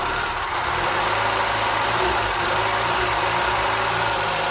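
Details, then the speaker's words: Triumph Spitfire MkIII after valve job and oil leak repair, first start warming up: steady, even idle, no knocks or misses, light lift rattle in background; running well, good air-fuel and oil pressure. "she's running pretty good if i say so"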